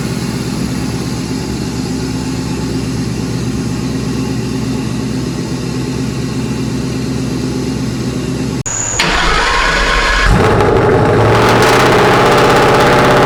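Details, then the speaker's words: Restoration car just after its first start: a deep, even V8 burble at idle for several seconds with no misses or knocks, then a throttle blip; brief initial smoke cleared quickly; healthy smooth running. "yeah i'm excited that it sounds so good i know me too"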